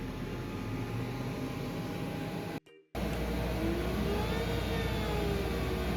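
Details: Glowforge Pro laser cutter running a cutting job: steady fan rush and low hum with a faint gliding whine as the head travels; even and untroubled, a normal cutting run.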